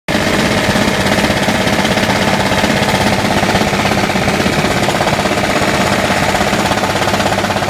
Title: Engine knock